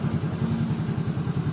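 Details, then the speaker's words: Yamaha Soul GT 115, Yamaha's first injected entry-level automatic scooter, idling after engine oil and gear oil change and idle adjustment: steady even low putter, sounds a bit calmer; slight whine remains, attributed to worn gearbox shaft bearing. "Oke, ini udah ganti oli, suaranya lebih adem sedikit ya."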